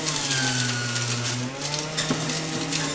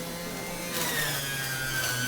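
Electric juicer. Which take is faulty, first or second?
second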